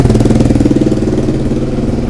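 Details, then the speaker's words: Suzuki SV motorcycle under restoration, idling after restart: sharp rapid ticking puff in time with firing from an exhaust leak at the top header gasket, still leaking; gaskets need changing. Now starts at a quarter turn and sounds much better. "an exhaust leak ah it's still leaking at the top there I'm going to have to change the gaskets"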